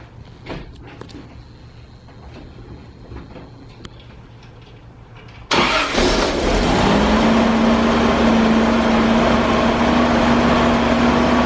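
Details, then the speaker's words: 1978 Toyota FJ40 after carburetor replacement, idle problem traced to a bad wire to the carburetor solenoid: engine catches and settles into a steady, even idle with no stumble or hunting; runs smooth and healthy. "it was that power to the solenoid that was preventing it from idling so let's start it up so you can hear it run"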